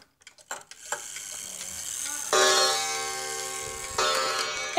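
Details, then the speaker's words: Wall clock after bending the chime hammer back: two clean bell-like strikes about 1.5 seconds apart, ringing and fading evenly; hammer now strikes properly. "chimed 2 times. So that's how to fix your wall clock sound."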